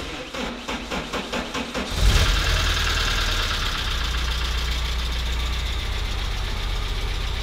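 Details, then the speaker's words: Porsche 944 S2 first started after over a year off the road: cranks, then catches into an uneven, chuggy, tractor-like idle with a busy ticking top end; oil pressure is good, and the cause of the roughness is unconfirmed. "I mean, this is a little bit chuggy at the moment, but oil pressure's fantastic."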